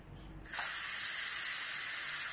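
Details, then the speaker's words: Instant Pot Duo Evo Plus after pressure cooking pasta e ceci: steady, loud hiss of steam rushing out the valve with no sputter. Normal quick pressure release. "ecco che ha terminato la nostra cottura come sentite sta fischiando olio premette cancello e la nostra macchina si ferma ora andiamo a spiazzare velocemente"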